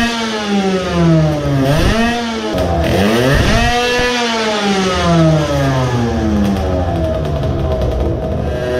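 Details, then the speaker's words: Modified moped two-stroke with a ported block and a larger carburetor on a dyno, after the carb needle was returned to its standard position. Revs rise and fall cleanly at part throttle with less sputtering, but power did not rise: about 7.3 when hot, and the choke made no difference. "so that was a disappointment sputtering decreased but power did not rise."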